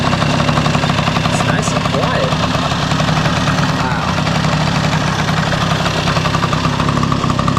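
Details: 1971 Yamaha Mini Enduro two-stroke, first start in decades after carburetor cleaning, muffler refitted with washer O-ring; unbroken loud steady idle with even firing, no misses or hunting. Normal two-stroke idle.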